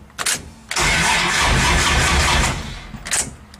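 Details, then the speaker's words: Turbo V6 Dakota in neutral, cranked with the key from inside on a weak mock-up battery: short first turnover then about two seconds of laboured, uneven cranking that never catches. "this battery that's in here is not very good because it was i've got it just for mock-up purposes"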